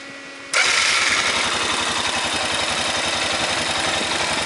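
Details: 2005 Honda Rincon ATV with 300 miles: when given throttle the engine runs fast and steady with a harsh, gritty rasp over the firing, an internal grinding sound from the engine, cause unknown.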